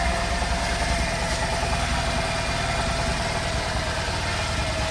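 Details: Bajaj CT100 BS6 bike back from a Ladakh trip, engine bore work done, idling after restart: even steady single-cylinder putter with no knocking or rattles, healthy.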